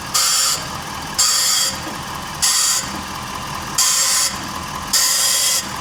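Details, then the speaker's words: 2023 Ford F-450 at 50,000 miles, one side jacked, microphone at the loaded wheel while turning: gritty grind about once a second, slowly getting quieter; suspected upper ball joint with torn boot. "So the sound is a little bit different, and it is slowly getting quieter."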